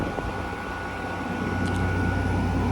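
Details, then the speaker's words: 2016 Frigidaire 5,000 BTU mechanical window AC running: even, steady fan rush with a low hum and faint constant tone, compressor nearly silent, coil sweating, no rattles or knocks; normal running. "And as you can hear, the compressor on this thing is like silent. So yeah, it's in very good shape."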